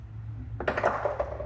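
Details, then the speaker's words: DIY homemade ice machine built from a refrigerator ice maker kit, harvesting after 24 hours of testing: a quiet low hum, then a brief clatter of ice cubes dropping into the bin. This is a normal harvest. "You hear that? We just made a drop. 24 hours and 1 minute."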